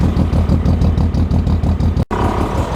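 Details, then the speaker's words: Car after hose and fan install, idle with no overheating or leaks: steady low throb about three beats a second, even and settled with no misses; normal idle. "at least she sounds good"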